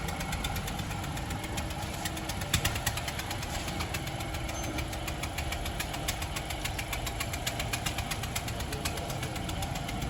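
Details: Honda Civic engine at idle: fast, fairly even ticking knock over a low idle rumble, steady throughout; some internal knock, cause suspected but not confirmed.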